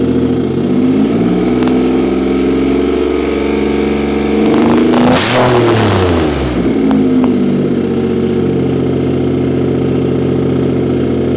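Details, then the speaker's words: 2007 Nissan Quest minivan with no exhaust fitted: a loud open-pipe engine note climbs smoothly through a rev and settles back evenly, no knocks or misses; the engine runs excellent despite the missing exhaust. "you're going to hear this car does not have an exhaust on it but it runs great"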